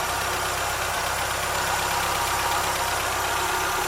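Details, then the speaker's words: Triumph Spitfire MkIII after new valve guides and valves (170+ psi compression): warm, even idle with steady low pulse, lift rattle in background; running well, good air-fuel and oil pressure. "running pretty good if i say so myself it's pulling down okay"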